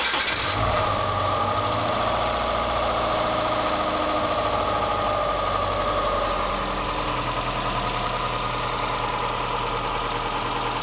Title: 2.5rs Engine rattle sound